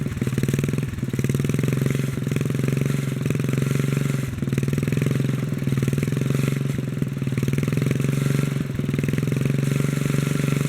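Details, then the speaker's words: 1957 Bolens small single-cylinder engine held a fast, steady pulse and wouldn't idle down even when throttled down, only slowing when the carburetor lever was pushed back by hand; governor suspected not working, being worked on. "yeah even if i throttle down it don't get to idle"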